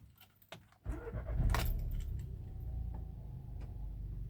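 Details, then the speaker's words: VW Golf 7 TSI with DSG, ECU reflashed, starts instantly after key rattle and settles into a low, smooth, even idle with no knocks or misses; normal start after work. "Awesome. Like, it starts up beautifully. It's been sorted."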